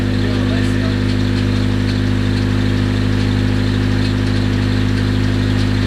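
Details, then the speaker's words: Rebuilt Nissan KA24DET, freshly built engine, idling: sharp regular top-end tick about two to three per second, sounds like lifter tick; nothing found loose under valve cover, cause unconfirmed. "I know it sounds like lifter tick it probably is lifter tick it's just pretty gnarly"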